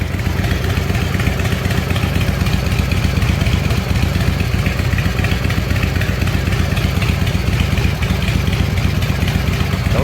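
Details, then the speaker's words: S&S Super E carburetor on a V-twin after rebuild, cold start without choke: loud, lumpy beat at about four pulses a second that picks up cleanly with throttle, baffles still fitted; runs normally after rebuild. "smoke little chilly in here yeah you need to get those baffles taken out sounds like yeah it worked"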